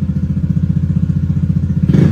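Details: Automatic scooter, bored-up engine, BRT Juken 5++ ECU fuel raised by only 1.3 after adding 10 nearly stalled it: steady pulsing idle, then quick sharp blip rising and falling cleanly without stumbling; clean throttle response.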